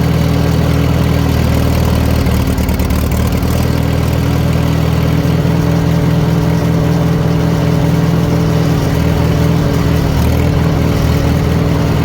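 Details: 1940 Farmall H with M&W 9-speed, idling medium-high during distributor timing adjustment; steady even low thrum, no misses or spitting. Bad timing was a big cause of earlier poor running; carburetor may need work: normal idle.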